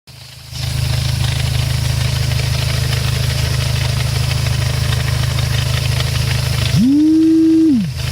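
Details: Dodge SRT-4 with ACT HDSS clutch, AGP hardened fork and DRC master cylinder, at idle: loud, fast chatter about three to four beats a second from the transmission, present since day one; clutch chatter suspected, unconfirmed.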